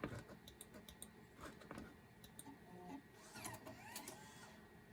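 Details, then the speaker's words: Macintosh SE floppy drive ejecting a disk it couldn't read. Quiet ticks, then a brief whirring slide and clunk as the disk pops out. Auto inject and eject work; owner suspects head alignment problems or dirty heads. "so this drive definitely maybe having some head alignment problems, but the auto inject and auto eject seem to work."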